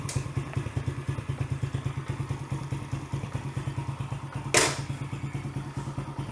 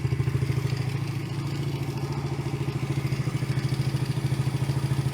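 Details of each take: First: Yamaha TT-R110 single-cylinder, year unknown, first start during revival on choke: slightly lazy thumping idle with one loud thud midway; idle mixture rich on the bottom, air screw behind the airbox needs adjusting. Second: Yamaha TT-R110 single-cylinder, year unknown, after idle speed and idle mixture screw adjustment: steady thump about 200 per minute, even and settled with no hunting or misses; idle sounds right.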